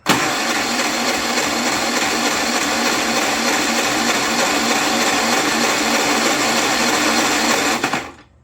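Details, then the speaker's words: Predator 3500 W inverter generator, not yet repaired beyond fresh fuel and oil, jump pack as the battery, on choke: fast, even starter whir for about eight seconds with no firing; it cranks but won't start, and the carburetor is suspected. "all right we're going to give it some help starters not sound great fire in a hole almost almost back to choke come on go dang take it off a choke to shoot this in there probably get a carburetor for it"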